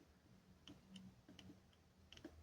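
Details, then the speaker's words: Doorbell buzzer on a chime meant for 12 V transformers, board damaged after 220 V was applied: a few sharp irregular clicks with no tone; buzzer clicks but won't sound, fault likely in the driver circuit. "bazır çıt çıt ediyor ama çalışmıyor arkadaşlar devre üzerinde bir sıkıntı olabilir"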